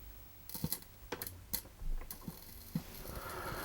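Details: Sustained series arc at a bad connection under test with a Hager AFDD, which still fails to trip months later with no firmware update. Irregular sharp snaps and crackles over a low hum.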